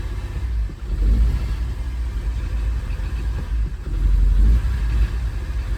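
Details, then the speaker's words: 2013 Kia Sorento 2.4 with accelerator pedal fully floored: deep muffled rumble that surges slightly but never climbs in pitch; plugged catalytic converter. Engine also smoking and burning oil heavily, with a cylinder misfire code logged. "so this one is oh let me start it up and you can hear it so it's got a plugged cat that's my pedal all the way to the floor"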